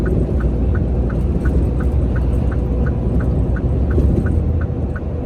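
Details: A truck's steering makes sharp, regular ticking under the steering wheel, about three a second, over a deep engine rumble. It comes from a lack of grease in the steering column, not a steering fault.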